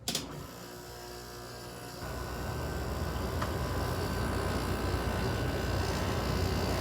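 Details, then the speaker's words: Carrier International 5,400 window air conditioner made August 1989, compressor started for the first time in months: quiet fan whir, then after about two seconds the compressor kicks on with a steady low hum and faint buzz, a normal start. "So yeah, the Carrier finally works. This startup hasn't been for months."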